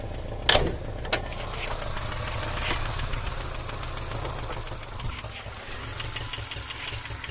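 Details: 2002 Subaru Legacy EJ253 at idle after a pop and stutter while driving: steady low rumble with faint repeated ticking knocks; owner wonders about jumped timing, rod knock or bad tensioner.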